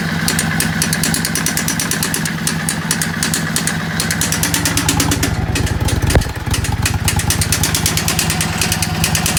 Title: Vstar 650 Bad Engine Sound